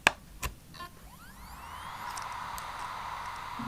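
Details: Laptop hard drive powered through external adapter for data recovery: a couple of clicks, then smooth rising whine settling into even steady hum, no knocking; spins up normally and is detected.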